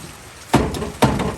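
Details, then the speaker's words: 1938 Dodge truck sitting 50+ years, oil poured in cylinders, engine 30 over: three heavy clunks as starter bumps the stuck engine; seized engine breaking loose. "There we go. See? She's breaking loose. Oh, starting stuck."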